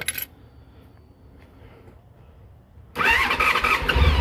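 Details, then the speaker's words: Honda ST1300 just after a new Caltrix battery and oil change (old battery had low amperage): brief crank burst, pause, then it catches at once and settles into a firm, steady idle; normal start. "oh yeah oh it sounds like it's got a lot more amps"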